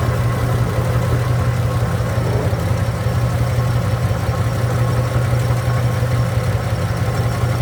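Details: 1967 Chevrolet Impala, warm, at idle: low, lumpy, shaking idle with uneven beat and a stumble every few firings; pulling plug 5 seemed to change nothing, misfire traced to an oil-fouled spark plug.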